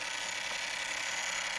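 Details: Sony PlayStation 2 slim laser sled motor: steady, harsh, hissy grinding with no rhythm or pitch change; working the end-position switch did not change it, cause unknown.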